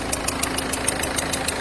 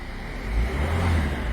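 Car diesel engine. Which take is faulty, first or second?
first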